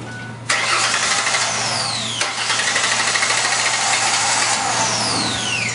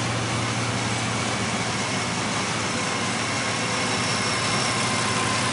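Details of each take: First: Engine started right after throttle body cleaning: cranks and catches twice, then runs ragged with sharp falling whistles as throttle body cleaner burns off; rough idle expected. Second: Car engine after throttle body cleaning, once the cleaner has cleared: steady, even idle with a smooth low drone and no stumble or miss, smoother than before; normal idle.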